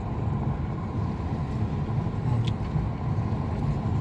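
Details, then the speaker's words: 2016 Mercedes C220d W205 after control arm replacement (old one had a torn boot and lost grease), test drive on rough road, window down, driver side; only tyre and road noise, no chirping or squeaking, suspension quiet. "이제 시운전 하니까 소리가 하나도 지금 안 나요."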